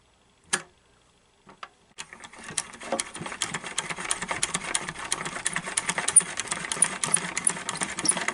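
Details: 1930s Little Mother toy sewing machine after cleaning and repair, previously frozen and squeaking: after a few starting clicks, an even, light ticking of about three stitches per second with no squeak; the mechanism runs freely.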